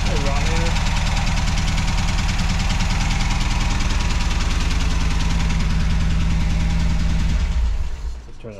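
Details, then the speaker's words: MGB GT classic car with a tired engine (choke won't stay on) idling loudly and clattery, with a steady chugging beat of roughly 200 pulses a minute before shutting off. The owner calls the engine pretty dead and plans an MX5 swap. "cuz it so loud yeah it's pretty dead to this engine so that's why I want to MX5 swap it"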